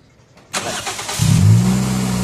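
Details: Toyota Vios that showed a check-engine light and only clicked its starter relay, attributed to low/no oil, after adding oil: quiet, then a brief even crank that catches cleanly into a steady, smooth idle. Normal starting.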